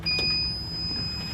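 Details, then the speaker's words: 2023 Toyota Sienna with Braun wheelchair conversion: constant thin high-pitched warning beep over cabin rumble on opening the van, until the blue button is held in for a few seconds. "So again, when you go into your van and you open it up, you're going to hear that constant beeping noise."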